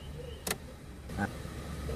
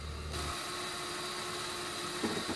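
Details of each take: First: Suzuki Karimun kotak after the carburetor idle and idle-AC screws were readjusted following disassembly: low, even idle with light clicks and no hunting, staying stable with the headlights on and with the AC off; normal idle. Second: Suzuki Karimun kotak, carburetor recently disassembled, headlights on, before the carb idle speed and idle-AC screws were adjusted: steady, fast idle around 1200 rpm that holds even with no drop or hunting; idle speed set too high.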